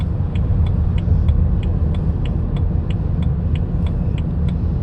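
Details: 2010 BMW 328i at night, light sharp ticks about three per second between 15 and 20 mph, heard mainly from driver floorboard, stopping by 20 mph, no vibration, braking normal; low-speed ticking noise, cause unknown.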